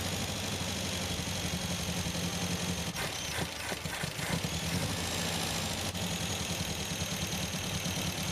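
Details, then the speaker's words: 1974 MGB with a freshly rebuilt engine, choke off. Steady, even idle around 850 rpm with a smooth, mean four-cylinder exhaust note and no misfire, apart from a few brief handling clatters: normal idle. "right guys so i just got idling pretty dang good right now uh about like 8 50 or so"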